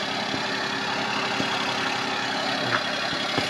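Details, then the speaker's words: Suzuki Palette wagon started from cold after belt adjustment and brake cleaning: small petrol engine idles evenly with no belt squeal; if it squeals with a tight belt, compressor, alternator or pump bearing is suspect. "So galing sa malamig inaandar natin. Hindi lang siya tumunog."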